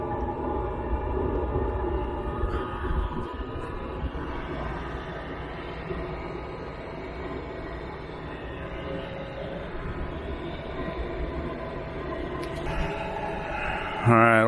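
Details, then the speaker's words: Chinese diesel air heater installed in a diesel truck camper build, first start after priming the fuel pump: fan whir climbs steadily, then the burner catches into a strong, even combustion roar, exhaust lukewarm. Normal heater operation. "Bessie sounds like she just kicked into high gear you could hear a audible combustion noise coming out of here"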